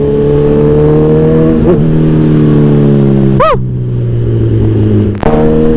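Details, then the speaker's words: Kawasaki Z1000R after backfire-removal remap, riding: revs climb then ease off cleanly through gear changes with no pops or bangs on overrun; backfire in 2nd and 3rd gear eliminated. "for me okay na okay Yung gawa ni FJ enjoy natanggal niya yung backfire ah sa Segunda at saka tersera natin ni Zeus"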